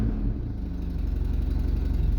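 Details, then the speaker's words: Rusty Opel Kadett just cold-started: low, even rumble with steady firing pulse on choke, no misses or knocks; healthy cold idle, runs nicely. "runs nicely where are you yeah"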